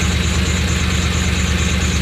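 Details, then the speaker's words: 1988–98 Chevy Silverado with straight pipes, new distributor, cap and rotor, idling low with an uneven pulsing lope, wavering and struggling to hold idle; no vacuum leak found with cigar smoke test, owner suspects ignition timing or distributor; rough idle. "well someone actually said that this thing might be out of time a little bit so if that's what it sounds like please let me know in the comment section below"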